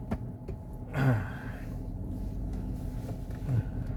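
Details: GMC Denali road test while cruising: steady low drone under road rumble, no knocks or clunks; humming suspected from the differential.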